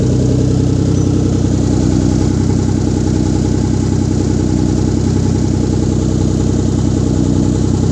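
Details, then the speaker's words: Rebuilt 1997 VR-4 first start-up after rebuild, downpipe not yet welded in: loud raw throaty idle with steady low pulse, no muffling; loud exhaust from missing downpipe. "no downpipe, that's why it sounds like butt. Exhaust. Downpipe still needs welded."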